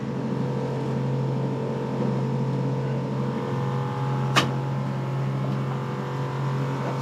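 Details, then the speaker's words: Boat watermaker running normally after an at-sea repair and startup air purge, now under pressure with no leaks: steady even hum and low drone, with a sharp tick as the shift valve reverses the cylinders at end of stroke. "Ticking sound you can hear is when the cylinder change direction. There is a shift valve that make it when it goes to the end it change direction, and the other cylinder will push instead."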